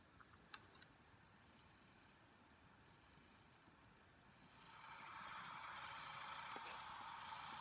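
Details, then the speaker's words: Hitachi IDE hard drive held up to the microphone: quiet at first, then a thin hissing whir rises with a regular tick about three times a second; the drive is dead. "that doesn't sound good uh this drive is dead"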